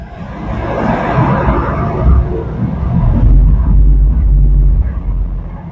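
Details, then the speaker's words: GMC Envoy running on a hoist in four-wheel drive high, in gear: deep steady growl like an airplane taking off from a worn front wheel bearing. "kind of growly sounds like my mom described as a airplane taking off so I don't know if you guys can hear it on the mic"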